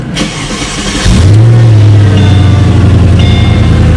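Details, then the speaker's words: Mercedes-Benz SL55 AMG, supercharged 5.4L V8, after a battery fix cleared electrical warnings: starter catches after a second and it settles at once into a deep, steady idle with no misses or knocks. "that message is gone let's fire it up and see what happens"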